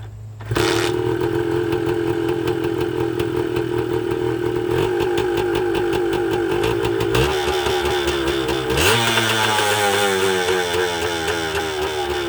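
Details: 1980 Suzuki TS125 two-stroke after a carburetor clean: revs climb on their own to a high buzz and hang there, and even the ignition would not kill it; runaway from an air leak, with crank seals suspected despite little smoke.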